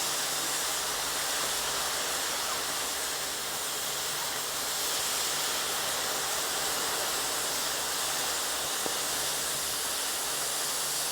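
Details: Torch washing 7018 weld on shop plate, testing dragging back across slag: smooth, steady high hiss with no popping or sputtering; clean, no trash or porosity in the weld.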